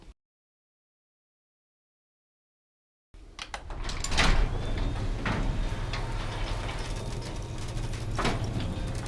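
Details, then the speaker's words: Garage door after fitting nylon rollers with sealed bearings and a belt-drive opener: low, even motor hum and soft rolling, with occasional light knocks from bowed door panels. "so now it's got the nylon everywhere and man it's a big difference the door still makes a bit of noise because the door is kind of got some funky issues on them like bowed out right here"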